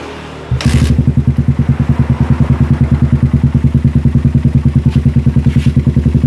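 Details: Suzuki Satria FU single-cylinder after removing the exhaust camshaft decompressor, fitted with a used CBR exhaust with long header: steady beat around 200 pulses a minute; earlier tek-tek tapping gone, runs clean and even.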